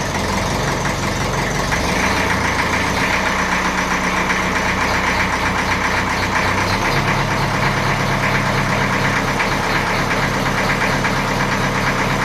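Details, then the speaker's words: 1954 Ferguson 20 TEF diesel idling after the diaphragm housing was fitted on the rear of the diesel pump, maximum fuel screw, a little revs: note steps once then holds level, no hunting; idle fine, no adjustment needed. "Okay. So, that's nice and level. It doesn't actually need to be adjusted."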